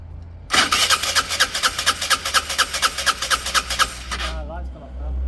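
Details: Peugeot Satelis barn-find scooter with immobiliser fault, wiring being bridged to bypass immo box; starter cranks in steady even pulses about four seconds but never catches; immobiliser cutting spark and fuel.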